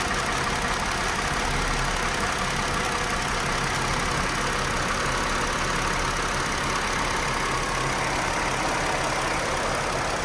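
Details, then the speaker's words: 2018 Chrysler Pacifica with code P0300 and flashing engine light: after a new battery, normal idle for seconds then uneven chugging rough idle; cylinders misfiring, cause undetermined. "I started to notice a chugging in the uh in the idle and um I knew that something was wrong the engine light started flashing um and so I knew the cylinders were missing firing"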